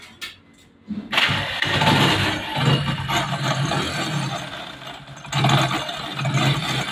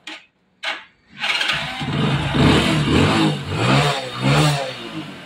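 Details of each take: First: Hero HF Deluxe motorcycle: after start-up, the idle carries a harsh, uneven rattle and scraping from inside the engine; the starter one-way clutch inside the magneto is worn out, a cheap fix rather than an engine rebuild. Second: Hero HF Deluxe / CD Deluxe bike after the loose nuts on the faulty self-start one-way clutch were dealt with: it fires after a short crank and revs cleanly with no rattle; the earlier engine noise is gone.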